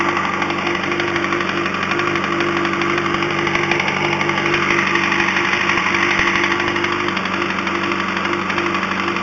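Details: 2005 Yamaha R1 at idle: persistent regular metallic knock about three per second over bright mechanical clatter, still present after fitting an APE manual cam chain tensioner; owner suspects a spun rod bearing, not confirmed.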